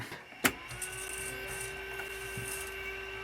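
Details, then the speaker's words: Old DIY Intel Celeron ATX computer with no VGA output, at power-on: click then steady mid-pitched whine with fainter high tones over fan hiss; odd noise suspected from a CD drive with flashing light, unconfirmed. "Something's making a weird noise. Is it the CD drive, I think? Yeah, the light's flashing on it."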